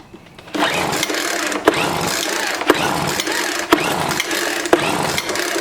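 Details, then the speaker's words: Scrapped Craftsman 4-stroke trimmer/blower (no throttle, on choke, then half choke) pull-started about once a second, never catches: not picking up gas; primer used, carburetor possibly gummed by ethanol fuel; owner suspects a fuel line issue. "it's not picking the gas up so i guess we just need to just pop this cover off"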